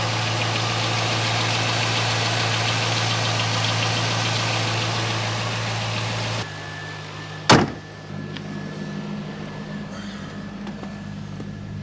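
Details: 2001 C5 Corvette V8 smooth, even idle after belt repair, steady low beat with no belt squeal or chirp, no dash warnings; engine sounds healthy.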